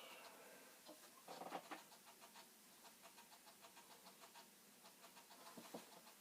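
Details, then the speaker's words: Commodore 64 5.25-inch floppy drive failing to load an old disk: faint quick run of regular ticks and chatters as the head keeps stepping back and forth; owner thinks there is no hope, cause suspected, not confirmed. "A very hard, it's not going well. The head is going crazy. You can probably hear that. Trying to figure out what's what."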